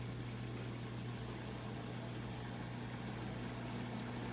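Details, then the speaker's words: Whirlpool Quiet Partner 2 dishwasher after clearing clogged filter, with broken chopper blade; drain pump emptying tub before reinstalling filter and spray arms, steady low even hum, no rattle or grinding; normal drain pump operation. "gonna get that water out of our way so we can get this put back together"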